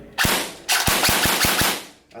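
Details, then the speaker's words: LDT MCX gel blaster with an Aztech APACHE tappetless cylinder head, Aztech piston head and 7.25mm barrel, about 300 fps, on semi-auto: sharp cracks over a steady gritty motor whir caused by imperfect pinion-to-bevel mesh from the motor sitting tight in the grip. "So we can actually really hear that Apache, but you can also hear that motor winding. There's nothing we can get rid of it. Whilst everything is spinning perfectly freely, that pinion to bevel mesh is just not perfect."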